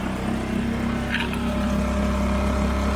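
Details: Barn-find Mercury 5 hp four-stroke outboard that had sat unused, run after the water outlet was cleared with a wire: a smooth, even idle with a steady low hum, no stumbling or knocking, and the cooling water flowing. Normal running.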